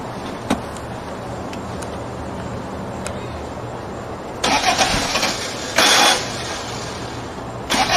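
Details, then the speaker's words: A car just back from being repaired, battery charged for about 5 minutes: the starter whirs in long bursts with clicks between tries, and the engine never catches. It cranks but won't start; the cause is unclear. "Alright, I just got this car back from being fixed and it won't start for some reason."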